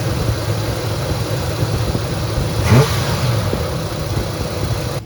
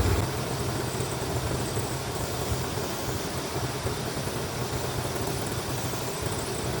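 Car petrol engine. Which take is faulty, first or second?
first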